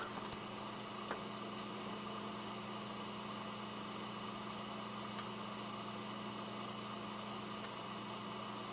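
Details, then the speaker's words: Dell Optiplex GX280 SFF desktop with a Prescott CPU and small heatsink under a heavy load test, CPU fan at its maximum, only a faint steady low hum with no rattle or whine; normal CPU fan under load. "That's about the max the fan gets. So that's pretty amazing for a Prescott chip that a dinky little heatsink like that is able to keep it cool enough to where the fan barely makes any noise."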